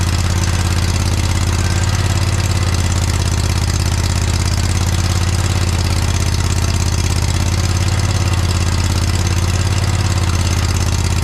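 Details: John Deere 317 lawn tractor repowered with a Kohler Command 18 hp engine, after sitting many years; loud, steady low single-cylinder beat, no misfires or surging; runs pretty good, though a fuel leak remains (cracked fuel pump suspected).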